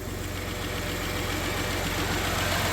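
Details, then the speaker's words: 1991 Dodge Caravan with a transplanted 3.0 V6, first start after 19+ years, idles quietly and evenly on all six cylinders with no ticking or knocking, just a slight exhaust leak. "Listen to that motor. No ticking, no knocking, no noise, nothing. It's just purring."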